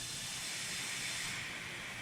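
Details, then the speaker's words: Nissan 300ZX twin turbo, engine off, intake pressurised for a boost leak test with the fuel pressure regulator disconnected; owner had turbo lag. Steady high-pitched hiss of escaping air near the idle air control valve at the rear of the intake. "and immediately you can hear a leak towards the back of the intake around the area where the idle air control valve's at."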